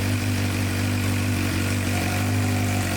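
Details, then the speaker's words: 2006-2007 Suzuki GSX-R 600 that sat outside for months and wouldn't stay running, first start with airbox off: uneven, lumpy idle with stumbling irregular beat; running really rough, later new plugs and fuel additive. "so clutch in and it runs it runs it's running really rough we have the air box off"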